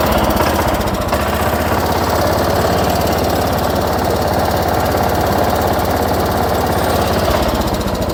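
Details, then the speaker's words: 1979 John Deere 210 garden tractor just started, still cold and smoking a little until warm: busy, even single-cylinder chatter at steady speed with no misses or surging; runs clean and healthy. "As you can all hear how this thing sounds. She runs really good."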